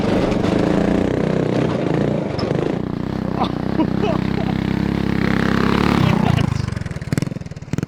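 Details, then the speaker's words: Honda 5HP overhead-cam engine on a yard go-kart while riding: note surges, then drops out in choppy stumbles near the end, sputtering under load; fuel cap vent suspected, possibly out of gas, unconfirmed. "I think the cap, you know, the vent, Yeah. because it kept spitting and sputtering."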